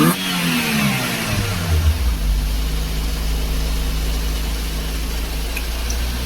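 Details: Daihatsu with electronic throttle body cleaned and sensor refitted, restarted: revs briefly then settles to steady but slightly fast idle; high idle, suspected throttle body flap not seating, with radiator fan wired direct rather than automatic.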